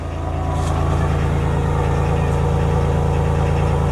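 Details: Denyo DCA-15SS-N genset, 30+ years old, 1.6 L 3-cylinder Nissan diesel (18 PS at 1500 rpm), just cold-started after years unused, no load, smoking a little: steady diesel clatter, even low thrum, no knocks or misses; normal cold idle.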